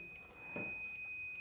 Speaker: और यहाँ पर रीडिंग भी 0 दिखा रहा है, क्योंकि हमने ये प्रोब को दोनों प्रोब को आपस में लगा दिया और ये कंटिन्यूटी बता रहा है।